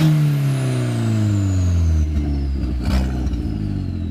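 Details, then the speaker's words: 2004 Mk4 Jetta GLI turbo engine, loud raw note sagging as revs fall with a tinny rattle underneath: rusted flex pipe broke right after the turbo, so no exhaust downstream; rattling flex pipe needs fixing. "A lot of fun because the turbo is really loud, but you can hear the flex pipe kind of rattling, and it's annoying."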